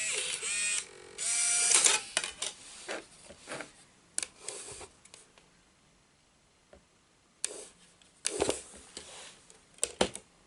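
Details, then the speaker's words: Bose Wave II multi-disc CD changer with disc error: short motor whirs and clicks start and stop repeatedly but the loader never completes a cycle; notch not moving back, stuck loading mechanism. "Right. Yeah, so the problem is still here. This notch does not move back as it should."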